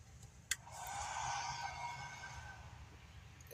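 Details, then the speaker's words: Pecron E300 LFP portable power station, AC output switched on: click, then a soft fan whine spins up within a second and settles; the internal inverter's cooling fan starting normally. "you could hear that, the fan turned on. Now these reasons why the fan turns on is because there's an inverter on the inside of it, and that inverter has to be cooled down with a fan to start up the AC."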